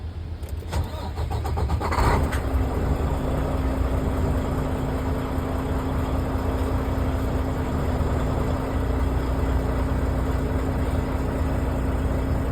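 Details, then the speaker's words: Penske truck diesel cranks and catches in about two seconds, then settles into a steady even idle with faint compressor hum, building air pressure over a minute or two before the brake test; normal start. "And it should only take about a minute or two for the air to to inflate."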